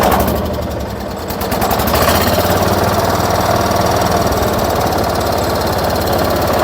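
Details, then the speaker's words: 1979 John Deere 210 garden tractor just started, still cold and smoking a little until warm: steady single-cylinder chug at fast idle, even beat with no knocks or misses; runs really good. "As you can all hear how this thing sounds. She runs really good."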